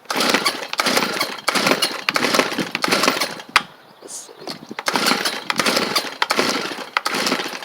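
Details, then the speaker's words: Stihl chainsaw, free find with a replaced pull rope, no half-choke: repeated rough cord-pull bursts about one a second with good compression and one weak attempt to fire; fails to start. "good compression y' y'all heard it it almost hit off right there"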